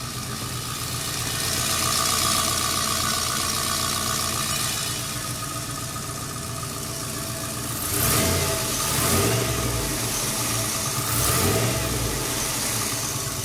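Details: Turbo 5.3L LS after Bosch 044 fuel pump install: steady, even idle with quick throttle blips rising and settling cleanly, no misses or stumbles; runs healthy.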